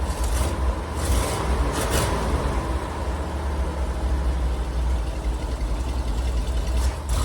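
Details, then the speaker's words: Car engine freshly treated with Seafoam: a low idle that shudders and wavers unevenly, dipping as if to stall, with occasional bursts of hiss; the rough running is thought to be from the Seafoam and expected to clear. "it's going to run a little rough with that seafoam in there I think it'll clear out"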